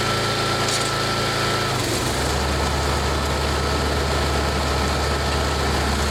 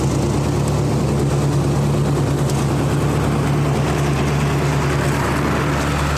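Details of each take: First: 1999 Snapper 28-inch riding mower, 10 hp Briggs single-cylinder, first run of the season: slow, lumpy, labouring idle; idle speed set too low, needs adjusting, possibly a different carb. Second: 1999 Snapper riding mower, 28-inch cut, 10 hp Briggs, first run of the season after sitting in a shed: small single-cylinder with a steady, even thump, no knocks or surging; running good.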